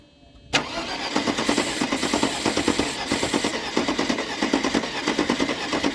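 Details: Mercedes-Benz W201 190E parked in a field since 2008, fuel line off the distributor, first crank attempts: starter turns it over at a steady, slowish beat with no catch or firing; cranks but won't run without fuel.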